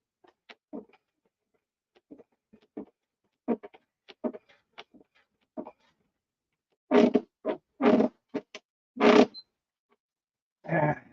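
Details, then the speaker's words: Model airplane flap and elevator attachment: short dry squeaks each time the control surface swings back and forth, louder toward the end, probably the hinge rubbing. "thing driv me nuts that noise back and forth back and forth"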